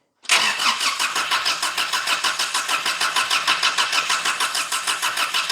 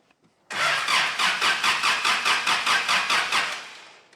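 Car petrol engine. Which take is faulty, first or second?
first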